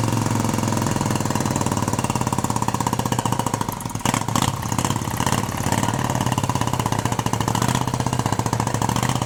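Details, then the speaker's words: 1971 Moto Guzzi Ambassador V-twin, 4-speed, under full restoration with changed crank and new rings, first fire-up: even, steady pulsing idle with low throb and little mechanical rattle; motor sounds quiet and tight, normal idle. "And it sounds good. Sounds good. Everything sounds good. The motor sounds really quiet and not a lot of rattle crap on it."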